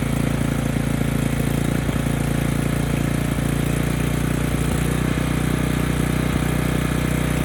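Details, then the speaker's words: Ridgid 5700 generator's Yamaha MZ300 engine after the seize and repairs. A steady, even single-cylinder beat at constant speed with no misfires or knocks shows it runs well. However, the generator produces no power output, with the stator and rotor still to be tested. "the good news is the engine runs, it sounds quite good, but now we don't have power."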